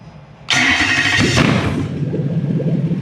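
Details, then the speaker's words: Toyota 3UZ V8 on Haltech Elite 2500 ECU with drive-by-wire, warm: fires with a sharp burst then settles into a slow, lumpy low rumble around 500 rpm; idle too low because ECU is not controlling idle. "When I fire it up, I've got no control. I'll show you. Oh, sorry. No control of the idle. I've got no control of the idle. This idle's low, but it does actually idle now it's warm."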